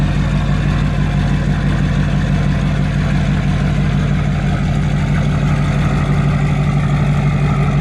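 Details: Duramax LML diesel after a long block swap, held at a steady 2,000 rpm fast idle outdoors for a 5-minute break-in: even, deep pulsing about three beats a second, with no knocks or misses. Normal high idle.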